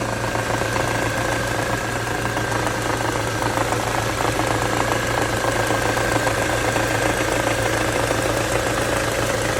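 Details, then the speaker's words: Ford Mondeo 4 2.3 at idle: light, fairly regular tapping on top, about four a second, heard loudest between cylinders 1 and 2; engine knock, cause not yet clear, owner asking what it is. "Слышен звук самое большее между первым и вторым цилиндром. Где-то вот здесь вот."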